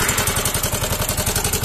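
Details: Yamaha Mio M3 scooter: loud rough clatter about nine to ten times a second at idle; possible causes named include connecting rod, crankshaft bearing housing or weights before teardown; valve train knock, worn cam and sticking rocker.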